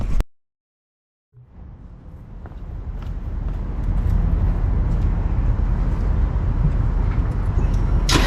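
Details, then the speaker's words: 2018 BMW 430i Gran Coupe (F36), B48 four-cylinder with mods: cold start, catching after a short silence and settling into a deep, rising, even burble with a loud tractor-like exhaust sound. Owner says it sounds good; normal. "so yeah man that's what she sounds like in a cold start um it's not crazy but she sounds good bro like for real for four banger she sounds good she got that little tractor sound kind of his little I call it the little tractor sound whatever it's called"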